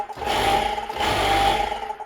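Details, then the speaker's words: Karcher HD 5/15 pressure washer after repair of no-power fault, plugged in: motor spins up smoothly, holds an even hum, winds down cleanly; starts and stops correctly, though the pump is broken. "It works great. Everything works as it should. It works correctly. It starts, it stops."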